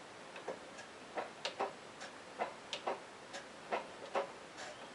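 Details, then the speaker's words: Hand-turning the stuck crank of a long-sitting 1965 Honda CB160 twin, spark plugs out: uneven raspy ticks and scrapes under one a second as the piston rings drag over rust in the very rusty bores; the engine is sticking at one spot. "it's kind of sticking right there though i can hear the rings hitting rust"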